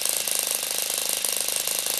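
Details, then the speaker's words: Saito FA-40 four-stroke glow plug model engine, methanol/nitromethane fuel, running hot: high rapid steady buzzing tick at idle, no surging or dropouts; normal idle. "You can observe the rapid decline of the fuel level - even if the motor is operating with"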